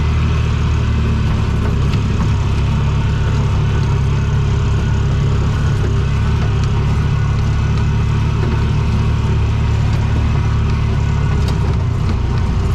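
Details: Bobcat 3400XL (rebadged Polaris Ranger 500, circa 2010–13), single-cylinder fuel-injected Polaris 500, after fitting a rigged spare fuel pump giving 40 psi: deep steady single-cylinder roar at full throttle, no stumbling or surging, pulls cleanly.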